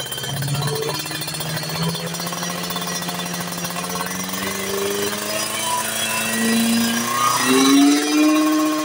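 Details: Two-stroke motorcycle (Ninja R series mentioned) after pilot-jet/main-jet tuning, throttle opened gradually from 1000 rpm idle; slight difference in midrange, pulls strongly again up top around 7,000 rpm; smooth clean climb: normal rev-up.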